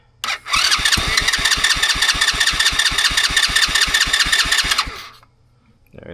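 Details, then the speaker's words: $40 used ATV, after installing a new wiring harness and grounding a previously forgotten ground wire; starter fluid sprayed in, steady cranking for four seconds, engine almost catches but never runs on. "Let's spray some more starter fluid inside of here. >> Dad, it almost started."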